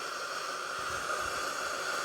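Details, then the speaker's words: Steam mop, warmed up with body hot and power light on, trigger pulled: steady airy hiss with no sputter or gurgle, even flow that builds up; producing steam normally. "doesn't make a lot of steam but then again maybe I was thinking of like a smoke machine at a live band well it's starting to pump out a fair bit now"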